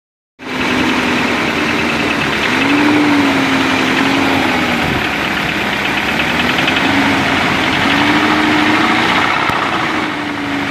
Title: Мотор стучит бмв 318.е36